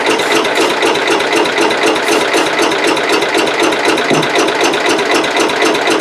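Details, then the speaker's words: Cub Cadet 108 garden tractor, cold (mid-30s °F), brake clean sprayed in carburetor: steady cranking about four beats a second that never fires; no-start from weak spark, points need cleaning. "all right y'all that's not gonna work so we're gonna have to get down in there and get the points get them clean and uh see if we can't uh get a little better spark"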